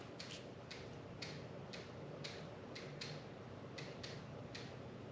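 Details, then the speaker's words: 2006 Polaris Sportsman X2 with newly installed SuperATV power steering kit, at key-on: faint sharp ticks about every half second from the steering unit; cause unknown. "hear that i don't know what that thinking noise is let's turn it back off i don't know what that was"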